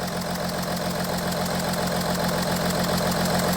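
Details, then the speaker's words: Audi Q7 3.0L diesel after swapping injectors between cylinders 4 and 1, revved then idling: uneven lumpy beat with repeating stumble, shaking; misfire followed injector to cylinder 1, faulty injector confirmed. "as you can see now we have a misfire on cylinder 1 cylinder one contribution SL balance cylinder one misfire detected"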